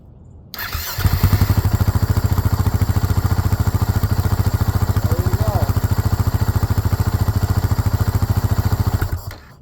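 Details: 2010 Husaberg FE570 on stock exhaust, after a kill-switch wire pinched during turn-signal install was fixed: fires after a short crank and settles into an even single-cylinder thump, starting and idling normally.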